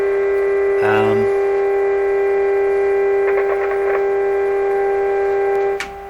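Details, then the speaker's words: 1925 Magnavox Type D TRF radio: a loud, constant buzzing hum with brief crackles over it stays even with the volume at minimum; source not yet known. "Get a little further away from the speaker here so you can hear me over it. Because that's the volume control. It's actually pretty loud in here."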